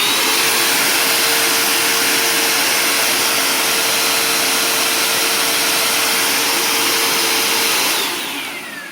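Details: Bissell Powerforce Compact upright vacuum, tested with the old, still-clogged filter removed: steady even suction roar with a constant hum, no rattles or surging, spinning down smoothly; normal running.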